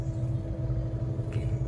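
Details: Car cabin at speed on stock original tyres, AC on low, about 76 dB average, 83 dB peak on rough road: steady low road rumble with no droning or humming tone; normal tyre road noise.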